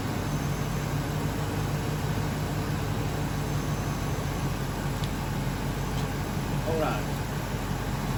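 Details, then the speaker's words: 2001 Ford F-250, 5.4L V8, after replacing cylinder 5 coil pack and spark plug to fix a misfire and clearing codes: steady, even idle with smooth low rumble, no stumbles; running smooth, misfire fixed. "the engine's running smooth no misfire and we'll come back and get all the rest of those plugs changed out at a later time"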